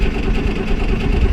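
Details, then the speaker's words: John Deere Model A tractor, diesel-smelling fuel, in cold weather, just started: deep low steady thumping at idle without stumbling; running normally. "come on come on let's try it again there we go well success it is finally running"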